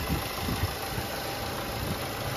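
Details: Nissan Primera P12 inspected before dismantling, under-hood listen: steady, even idle with a smooth low hum and no knocks or ticks standing out; engine sounds healthy.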